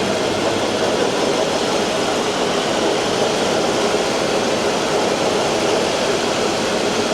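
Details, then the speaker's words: 2020 Ford Expedition 3.5 twin-turbo, wheels driven: a rough, gritty driveline whir and grind from the transmission, transfer case and front differential, the front differential judged worst. "This thing's making noise, too. That's bad. I can't tell which one's worse. The transmission noise. the transfer case noise or the front differential noise."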